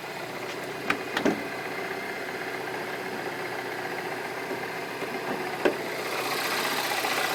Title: R56 Cooper S Motorgeräusch bei Kaltstart